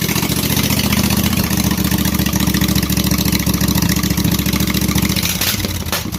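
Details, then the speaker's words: Briggs & Stratton Intek 18.5hp V-twin with the stuck fuel solenoid disabled and governor set: a steady, even putter at about three and a half beats a second with no misses. Normal smooth idle, shut off via the black kill wire. "the black wire to the side of the motor kills it oh there we go i would say that that should do pretty good and we'll call that a win"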